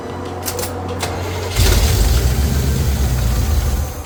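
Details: Small-block Chevy V8 after installing 1.6 ratio roller rockers, run with valve covers off: catches after a short crank into a rough, lumpy stumbling idle; huge vacuum leak from the open PCV valve hole.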